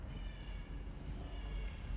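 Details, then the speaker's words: Dodge Durango V6 or V8, about 60,000–64,000 miles, rolling slowly: thin steady high-pitched screech over rolling rumble; suspected brakes (possibly bearing), brake pad wear indicator squeal. "oh that sounds like brakes it can't be bearings well it can be bearing because i'm rolling"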